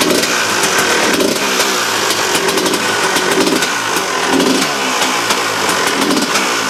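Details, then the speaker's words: KTM two-stroke dirt bike after a new reed valve, replacing worn petals with a hole that sprayed fuel into the airbox and blew air through the carb: crisp crackle, revs rising and falling cleanly without bogging; normal running, sounds much better. "and we'll actually have some that the engine sounded like to what it is now. Kurwa! Turn it up, man. No. Get us copyrighted, guys, innit? That, guys, sounds much better."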